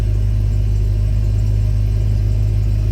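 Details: 2004 Itasca Suncruiser RV, about 90-96K miles, idling after a fuel filter replacement; deep, steady low rumble with an even beat and no misses or rattles; no leaks were found and the engine is idling healthily.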